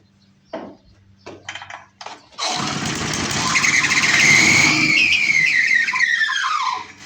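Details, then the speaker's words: Older 22-inch Murray push mower, 3.5 hp Briggs, on start setting. It catches, runs rough with a falling high squeal for a few seconds, then dies. The owner suspects a bad diaphragm or plugged carburetor; the starter clutch also needs work. "Starter clutch definitely gonna have to come apart. Yep, start die. So we might have a bad diaphragm, plug carburetor."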